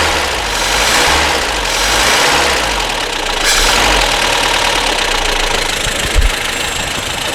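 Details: Barn-find Amazon petrol engine after piston ring replacement, just started cold without choke: fairly steady idle with some hiss and rasp on top, no heavy knock. Carburetor set a bit rich. Slight water pump leak, likely to be replaced.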